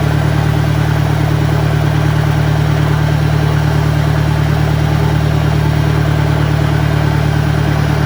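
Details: 1965 John Deere 1010 with suspect maintenance, Stanley muffler, about 1000 rpm: a steady drone with a heavy, constant gear rumble; the transmission is noticeably noisier than the 1963's, cause unconfirmed.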